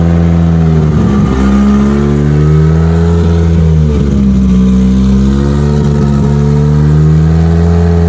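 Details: Mitsubishi Evo during build before dyno prep, after first fire-up with fuel pump on and fuel pressure up; catches, idles evenly, then clean throttle blips rising and falling smoothly without misfire. Normal idle; alternator not holding good voltage.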